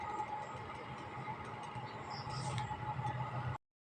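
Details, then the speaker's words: Konda washing machine spinner after brake adjustment and motor fix: smooth steady hum with constant whirr and no rubbing, scraping or knocking; earlier noise gone. "so susubukan natin kung may tumutunog pa ba Pakinggan niyo na lang oh di ba ayos na"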